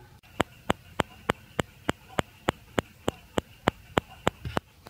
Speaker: So it seems to be working well, and now I noticed I can actually hear some clicking or ticking from it. Can you hear it too? It's like tick, tick, tick, tick, tick, about 3 times per second.